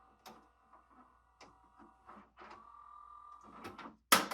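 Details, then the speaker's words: Sony MDP-333 laser disc player at power-on, tray not moving: thin, steady motor whir with light clicks but no tray travel, then a clunk. Tray motor works, but the tray drive belt is suspected gone. "but at least we have noise of the motor so motor is working and I I think I saw wobbly this thing wobbly"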